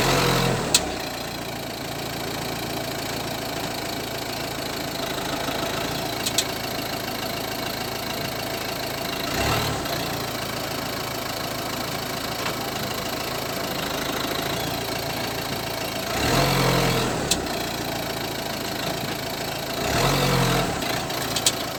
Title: Citroen C5 strange crackling noise from suspension?